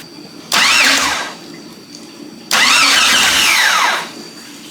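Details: Jeep Cherokee XJ with leaking cooling system cranks in two steady starter bursts of about a second and a half but never fires; traced to a corroded 15 amp key-on fuse, replaced, though a crank sensor was also suspected.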